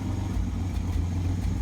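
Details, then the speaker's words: 1986 Pontiac Fiero SE: low, lumpy idle with an uneven beat that stumbles now and then; rough skipping idle, owner suspects an exhaust leak affecting fuel injection, not confirmed. "Hear it running, sounds like it's skipping. An exhaust leak, probably affecting the injection system to run at a nice idle."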